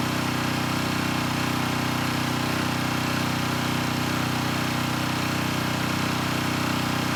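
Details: Coleman Powermate Pulse 1850 generator, about 23 years old, after fuel-system and carburetor repair (previously ran rough). An even unbroken drone at constant speed with no surging, misses or knocks; normal running, engine sounds good.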